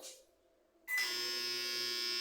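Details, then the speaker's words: Microwave oven with cover off: quiet hum, then a loud, harsh, steady electrical buzz as soon as a cook time is set; persists after replacing board and power relay with only transformer and capacitor connected; shorted high-voltage transformer. "mas só quando você bota o tempo nele ele faz um barulho que é bem incomodando"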